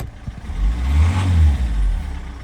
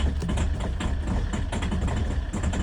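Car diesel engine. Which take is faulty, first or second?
second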